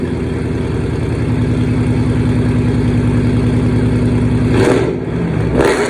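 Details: 2009 Dodge Challenger R/T 5.7 Hemi V8, first start after rebuild following an engine fire: catches and runs strong with a deep, even, loud burble, two sharp blips, no knocks or misfires; normal running.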